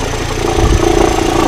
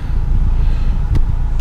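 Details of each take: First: 2013 Kia Forte Koup, 171,000 miles, cold engine, in gear with A/C on, heard from outside the car: a deep, uneven throbbing rumble like a vibration. The wobbling A/C compressor pulley is suspected; the A/C compressor and water pump pulley were replaced. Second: 2013 Kia Forte Koup, 171,000 miles, once warmed up: a steady, low, even idle with no knock or whine. The cold-engine noise is gone in drive, neutral and reverse; it seemed RPM-related around 900 rpm, fading above 1000.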